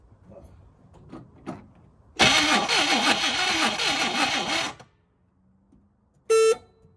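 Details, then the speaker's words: 1969 Chevrolet Caprice 427 4-speed sitting since 1988, first start attempt: about 2.5 seconds of rhythmic starter cranking, roughly four beats a second, never catching; engine not seized but no spark, traced to a bad distributor rotor. "crank it crank it it's moving but it's not uh not making any Spark"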